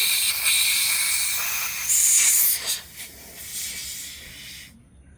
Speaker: That is a lot of air. Wow. Compared to the black and the blue had nothing.